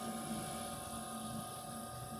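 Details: Red Bull refrigerator that previously would not start, after reconnecting the PTC and wiring with the thermostat set to 1: steady low hum with a constant high tone and no clicks or knocks; the compressor runs normally.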